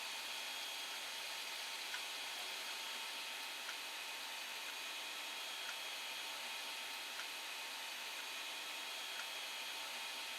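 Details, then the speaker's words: Creality Ender 5 Plus with replacement silent TMC2208 board, printing: quiet even airy whir of part cooling and hot end fans, faint ticks, no knocks or rattles; normal fan noise. "it takes a second or two and then it comes on so some of the fan is the part fan noise and the hot end fan"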